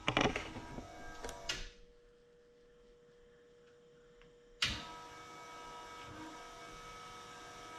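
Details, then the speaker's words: Ford Ranger after new fuel tank, pump and tune-up, pump wired to a switch into the fuse box: faint steady electric hum between clunks as the fuel pump runs; engine runs only on the starter and seems rich. "i noticed this switch here when i bought it but i hadn't had a suspicion it's brian's wired right into the fuse box and if you can hear that it's running the fuel"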